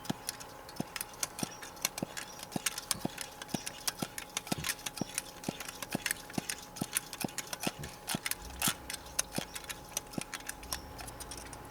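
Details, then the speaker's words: Coleman white gas camp stove being pumped to pressurize a not-quite-full tank, about 20–30 strokes. Soft, regular pops, roughly one per second, one with each stroke. The charging check valve is seating properly as pressure builds. "Just get pumping. You can hear that little popping sound. That means the valve for charging the stove is working."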